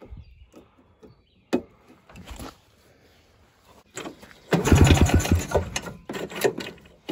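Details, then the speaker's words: 1987 Ski-Doo Citation LS Electro 250 snowmobile found at dump, makeshift fuel line with primer and filter; pull-start clicks and gaps, then a short rough burst that fades; hard starting, won't keep running. "another pump there were a couple more probably four good morning we may or may not have put some gas directly into the air box"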